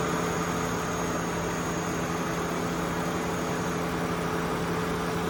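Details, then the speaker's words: Chevrolet Malibu V6 ex-AT&T car bought at Copart, running with the hood open: a steady, even idle hum with no knocks, ticks or misses. It runs great. "as you can see she runs great if you didn't understand before why I love buying these at T"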